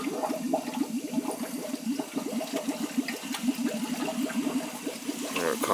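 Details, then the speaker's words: Boiler hydronic heating loop after a bad expansion tank was found (pressure gauge checked accurate): gurgling, sputtering rush of water and trapped air surging through the pipes as the loop is purged with the hose open; air purging from the system until it goes quiet. "tank was bad expansion tank was bad you can hear the ear give it a good purge you can hear you can hear the air going in there"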